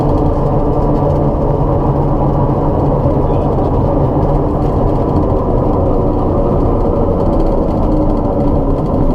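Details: Light aircraft after annual inspection: steady coarse low metal grinding rumble and vibration while taxiing after landing, not noticed on taxi before takeoff; something rubbing in the landing gear suspected, not confirmed.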